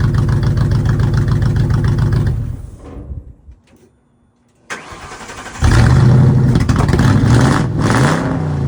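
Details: 1953 Ford F100 on Crown Victoria chassis, just after tune-up replacing spark plugs and coils, owner suspects it was not reassembled right: uneven pulse, dies after about 2.5 seconds, refires and idles lumpy; rough running and stalling.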